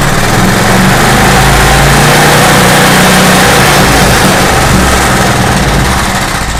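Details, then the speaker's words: Craftsman portable generator, sat unused and possibly tinkered with by owner, cold repair: idles fine at idle screw but small engine roars and runs away loud and fast once idle is nudged up, no governed speed hold; governor spring disconnected causing overspeed. "but man, as soon as you move it a tiny bit away from that screw, as soon as you move the idle up just a tiny bit, it wants to just take off. It wants to idle up way too high."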